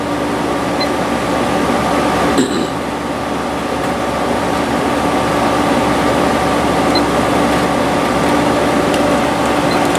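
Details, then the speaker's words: 6000 BTU 1970s GE Slumberline window air conditioner warmed up on high, smooth steady compressor hum and even fan whoosh, no rattles or knocks; drawing right at 7 amps against 7.5 rated, healthy but inefficient. "it's been running for a while I got it on high pressor sounds real good and we are pulling right at pretty much right at 7 amps"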